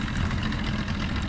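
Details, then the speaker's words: Restored 13ft Delta T850 race boat outboard on first water test: steady, even burble with no hesitations, misses or stumbles; clean, healthy normal idle. "There's no It sounded good. hesitations in it. Sounds good. It's idling nice."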